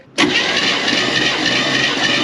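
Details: 1957 Chevy Bel Air, probably a 283 small block, during compression test: steady, even cranking whir with no missing beats, compression holding around 150 psi.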